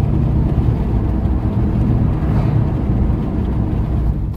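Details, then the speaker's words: Toyota Tacoma test drive after fixing a metal-on-metal disc brake rattle: corroded caliper slide pins replaced, anti-rattle springs and clips renewed, pins lubricated. Steady low cabin and road rumble, no rattling or clicking from the brakes. "so far so good I don't hear the rattling hopefully that solve the problem"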